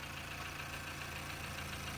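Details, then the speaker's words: GMC Terrain after replacing failed vacuum pump that caused clunking and brake assist failure; quiet, even idle with smooth low hum, no ticking or clunking, much quieter than before; normal idle after repair. "holy crap this thing's quieter than it's been in a long time this thing's much quieter"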